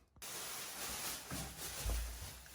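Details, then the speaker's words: Pressurised water supply pipe leak located by listening with a detection device and thermal camera: steady, even rushing hiss of water spraying at the leak point. "bu Kaçak noktası olarak tespit edildi şu anda fışkırıyor"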